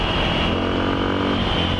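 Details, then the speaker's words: Suzuki DR650 single with 24F0A exhaust, Procycle headpipe, Procycle jet kit, stock needle, undrilled slide and airbox mods, riding under steady throttle: smooth over loud road noise, no stumbling or popping; excellent throttle response, comes off throttle nicely. "I wanted to see how this runs. And so far, I'm pretty happy. I don't think it needs more. The throttle response is excellent."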